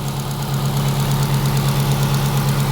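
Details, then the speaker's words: 1995 Mitsubishi Libero, 4G15 engine, losing power while driving (customer had replaced the plugs, cap and wires): a low, slightly lumpy idle; a test light showed very weak spark from the distributor, which needs replacing. "It's barely coming out of the distributor. So what we have here is a weak spark."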